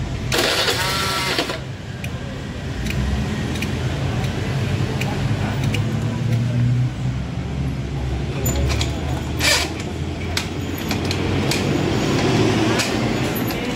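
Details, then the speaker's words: Motorcycle that stalled when hot with a light kick-start from compression loss via leaking valves, after repair restoring compression: brief starter whir, fires and settles into a steady even idle; normal start and idle. "Oke, motor sudah bisa hidup. Motor sudah normal ya."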